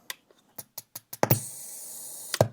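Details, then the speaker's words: PreSonus Eris E3.5 powered speaker on the bench at switch-on: several sharp clicks, then a wub-wub hum, then more clicks; cause found to be failed, dried-out power supply capacitors. "Well, it's a snowy day today, and I have the speaker on my bench, and it goes wub wub wub."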